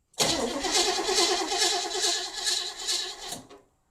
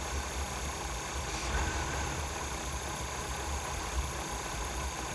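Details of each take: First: Abandoned, non-running 1977 Pontiac Grand Prix being test-cranked with fuel added and a used spark plug on a plug wire to check for spark; no spark was seen on this attempt. The starter churns steadily at about two turns a second with no firing. Cranks but won't start. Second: 1977 Pontiac Grand Prix, abandoned non-runner revived, pushed outside after first runs: quiet, smooth, steady V8 idle with no popping or misses; carburetor possibly a little gummy, slight tailpipe condensation, engine judged healthy.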